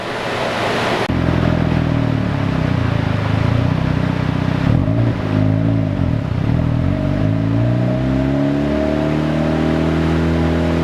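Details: Mazda FD RX-7 rotary on the dyno during a tune, with the intercooler cooled between pulls: smooth buzzing note climbs cleanly in pitch under full load with no stumbles or misses, and boost is super smooth; healthy, even pull.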